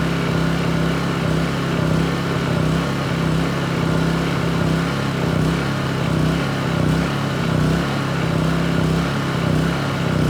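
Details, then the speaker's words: Honda EU2200i inverter generator, new, running until the fuel shutoff was tested, recorded on a phone mic: steady, even drone with a constant low hum and no misses or surging; normal running. "that ran a lot longer than I expected so let's go ahead and turn it off here"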